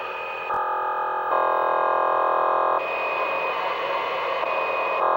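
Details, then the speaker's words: CB radio on an A-frequency channel during rain: harsh buzzing hiss with steady tones jumping between levels. Unknown interference; owner suspects the sparking transformer out front, or possibly a remote control. "Well, here's another weird new sound on my radios here. Don't know where it's coming from. Might be the transformer out front because it's raining, and every time it rains, it starts sparking and everything."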